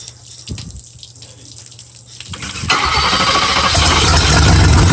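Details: 1978 Cobra Jet boat, 325 hp 350 Ingram marine engine with Berkeley jet drive, new starter fitted and timing adjusted, water flowing: a couple of seconds of cranking, then it catches into a steady, even rumble with no misfire; healthy start.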